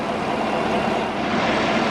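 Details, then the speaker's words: 2015 Chevy Silverado 1500 5.3L V8 with a used replacement engine (37,000 miles, truck 53,000), idling after its first drive, still smoking as stuff burns off. Steady, even idle with a smooth rush of engine and exhaust and no knocks or ticks; sounds really good. "it's still uh smoking because it's burning off a bunch of stuff but sounds really good"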